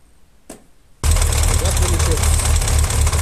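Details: Yamaha XJ 600 Diversion motorcycle started and idling before repair: loose pulsing rattle from worn clutch basket; clutch making noises.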